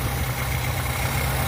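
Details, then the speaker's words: Car at warm idle after a cold start, recorded outside, warm now, nice and quiet: low, smooth, even rumble with no knocks or misses; runs good. "See, it's fine now. It's all warmed up, nice and quiet. Runs good."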